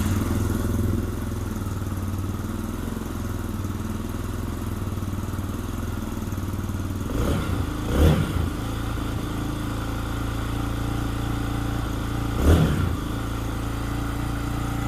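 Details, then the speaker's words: KPX 250cc EFI dual-sport motorcycle idling during a fuel pump test, with fuel pressure steady at 43 psi: a smooth single-cylinder idle with even revs and no stumble or hunting; runs healthy. "As you can see, the fuel pump pressure is really good and steady. It's holding right at 43 psi."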